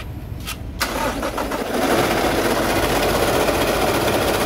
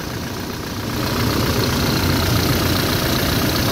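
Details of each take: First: Toyota 1GD diesel engine started and idling: compares the noisy state, a rough gravelly whir from worn alternator bearings, with quiet running after the alternator bearing was replaced. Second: Toyota 1GD diesel at idle after replacing a noisy alternator bearing: even, steady clatter, now quiet with no whine or grinding from the accessory drive.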